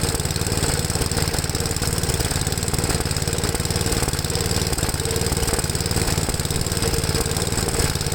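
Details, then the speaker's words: Ariens 8HP Tecumseh engine on new replacement carburetor after mixture adjustment: single-cylinder idle with uneven hunting beat, speed rising and falling about twice a second; idle surging persists, owner says full throttle is fine, maybe flooded. "okay so i haven't adjusted the best that i can no matter what carburetor you use these things always have a surge when i when it's idling as long as uh full throttle is fine that's the important thing on this"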